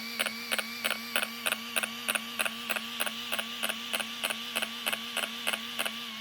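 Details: Arrma Kraton RC car after installing a new servo: steady sharp electronic clicks about three a second over a thin wavering whine; neither wheels spin nor servo steers.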